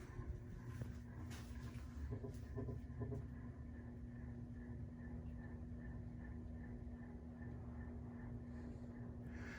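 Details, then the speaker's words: 1998 42-inch Encon Corinthian three-speed reversible ceiling fan, 22 years old: steady hum with gritty rumble from scratchy bearings, pretty noisy on medium and high, slight wobble and vibration. "flip it to medium definitely can feel some air movement on medium yeah it's pretty noisy and"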